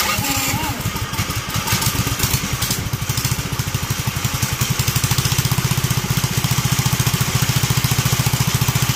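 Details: Duromax 18hp single-cylinder engine with longstanding idle problem, started with the air filter removed: putters loosely with uneven beats, then settles near three or four a second, sounding close to stalling; unstable low idle.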